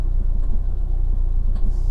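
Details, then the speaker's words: 2011 Fiat 500 1.2 Lounge, Copart salvage car, after disconnecting diagnostic scanner, fault codes not returning: low, uneven idle with lumpy, stumbling exhaust beat, less lumpy than before; still rough idle, cause not found. "i'll just disconnect it and i let's give it a go it's not as lumpy as it was but it's still lumpy"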